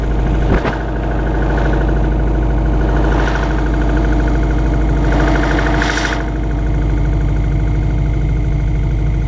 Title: Subaru Impreza WRX 2002 (US) Piston slap cold engine 2